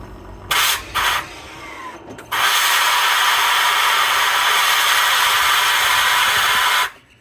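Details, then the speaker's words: 2023 Rivian R1S, newly delivered, air suspension venting: a couple of clicks then a loud steady rushing hiss over four seconds, far louder than normal; Rivian suspects a disconnected air hose venting freely. "because the air suspension is Extremely Loud how'd when it airs out when it releases Air and I've had an R1 T so I kind of know how this should sound but on my r1s it is so loud that there's definitely a problem there"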